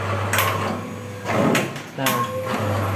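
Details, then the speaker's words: MAGIX 480V8 paper cutter cutting a thick, nearly one-ream stack at 4 cm minimum cut: steady low motor hum, smooth even blade pass, no scraping or grinding, cut stays straight; updated model notably quiet; normal cutting. "sekali lagi keunggulan mesin 8 yang TP baru ini buat ee motong yang tebal juga itu benar-benar halus untuk suaranya."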